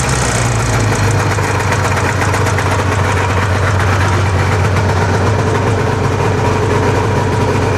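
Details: 1981 Arctic Cat El Tigre two-stroke after adjusting the carb throttle cables and idle screws evenly: steady, even burble at a settled idle of about 1500 rpm with no hunting or misses; idling smoothly.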